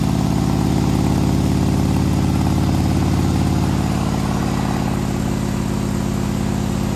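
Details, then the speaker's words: 2020 Harley-Davidson Road Glide, fresh 130-inch T-Man Performance stage four engine on a dyno pull after warm-up (result about 155 ft-lb torque, almost 153 hp): loud, deep, even V-twin roar held steady, firing smooth, no knocks or misses; normal under load. "155 foot-pounds of torque almost 153 horsepower wow not bad yeah 140 foot-pounds of torque 2600 rpms"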